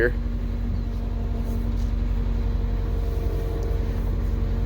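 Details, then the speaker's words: MCI coach diesel at idle: a steady mid-pitched power steering pump whine. There is a power steering leak to find, and a swap from 30-weight oil to ATF is planned, expected to quiet it. Cause unconfirmed. "swining on it there is a leak that I need to find in the power-steering once I find and fix that I think we're going to swap this over from 30 way to oil to ATF and that should quiet it down quite a bit"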